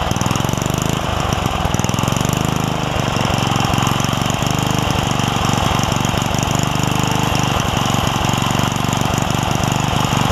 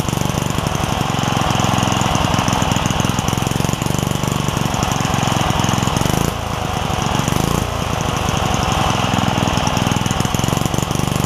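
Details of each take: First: Craftsman 3 hp Tecumseh edger after fitting a snowblower carburetor, jet swapped and governor spring and linkage sorted: small single-cylinder runs at even moderate speed, steady regular firing, no surging or misses; running properly. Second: Craftsman 3hp Tecumseh single-cylinder edger with retrofitted snowblower carburetor: engine putters at a steady low idle and won't pick up speed, due to a governor spring and linkage issue rather than the carburetor.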